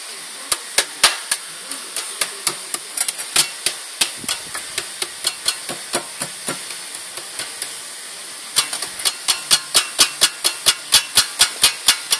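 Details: Strange noise from a Pumaspeed muffler: sharp, unevenly spaced metallic ticks about twice a second with no engine hum beneath; muffler knocking, cause unknown.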